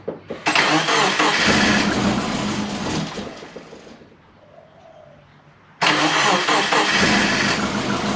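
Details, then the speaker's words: Big-turbo Subaru Forester during idle-control tuning, just started to warm up: it catches, then the idle sags and dies away before relighting. It still hunts at very low RPM, attributed to base ignition timing set too low. The TPS was recalibrated to 0% afterward. "What I do like mechanically, it still hunts for very low RPM."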